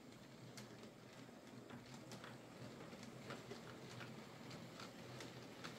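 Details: Hornby J15 model loco, slow and noisy since new about two years ago; after fitting a new motor and regreasing the worm gear, soft even motor hum, light rail clicks, no grinding or buzzing: much quieter and smoother, normal running.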